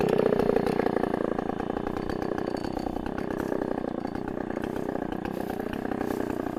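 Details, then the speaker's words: 44-year-old vintage Husqvarna L65 chainsaw, revived, cutting a big oak log: steady, fairly low-revving two-stroke drone, lower rpm than modern saws but high torque, holding pitch without bogging; normal cutting under load. "as i mentioned this uh saw doesn't the rpms on this uh are not as fast as the current models of saws but it's got a lot of torque and uh we'll see what i'll do on this big old oak log here"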